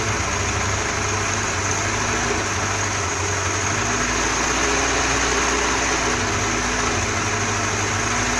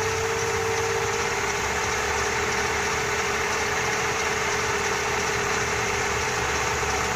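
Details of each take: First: Holley carburetor on a 4-cylinder Dodge Dakota, electric fuel pump, very low float fuel level; idle stumbles unevenly with a low-speed circuit port uncovered, then smooths and speeds up when covered. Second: Four-cylinder Dodge Dakota with rebuilt Holley carburettor and electric fuel pump, after mixture adjustment: smooth, even idle with steady hum and no misses, stumbles or hunting; normal idle.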